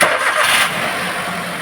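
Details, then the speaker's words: Maruti Suzuki Wagon R K-series (complaint: low pickup, jerking under acceleration uphill, misfire, low mileage) after boot and cable fitted: engine catches at once, settles to a quiet, even idle, no knocks; rain outside alters sound; normal start and idle. "അപ്പൊ start ചെയ്യുമ്പോൾ engine നല്ല silent ആയിട്ടാണ് നിൽക്കുന്നത്"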